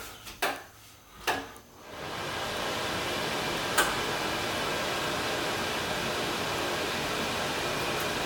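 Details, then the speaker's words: Bathroom exhaust fan after electricians repaired it: a few clicks, then a steady, even whoosh with no rattle or grinding; before the fix it made a really loud racket. Normal fan running. "That sounds like a normal fan. Before, something was wrong, and that was making a really loud racket."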